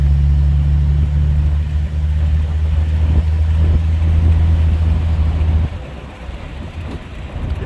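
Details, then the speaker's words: 1967 Rambler American, 199 ci AMC inline six, road test after fixing a vacuum leak from a cracked phenolic carb spacer: smooth low engine drone from inside the moving car, running happy with no off-idle bog. "to it little inline six is just running happy"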